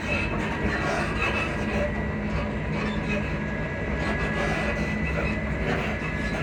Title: class 334031 suspension sound squeaky sounds